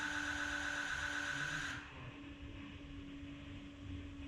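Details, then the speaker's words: 2006 Ford F250 Super Duty, 6.0 L Powerstroke diesel, after changing both fuel filters, key turned on repeatedly: steady high hum over faint low drone under two seconds, cutting off cleanly; electric fuel pump priming normally. "we're going to rotate the key multiple times you're going to hear the fuel pump charge and prime the system i'm going to do this a redundant amount of times probably four or five times turning the key on letting it run until the fuel pump the electric fuel pump is not making noise anymore"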